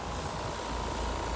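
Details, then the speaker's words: 2-ton heat pump outdoor unit, 37°F outside, after adding about 10 oz refrigerant (low side ~75 psi): steady even hum and fan rush, earlier compressor noise gone; normal compressor operation, tech suspects slow leak or improper original charge. "So we kind of got rid of that noise. So maybe this has a slow leak."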